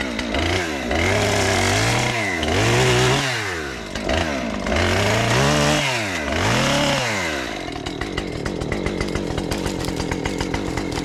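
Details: Husqvarna 550XP chainsaw, restarted after sitting about 6 months, cutting a wind-downed box elder limb: repeated revving into the cut, pitch sagging under load and recovering cleanly, then crisp idle; running healthily.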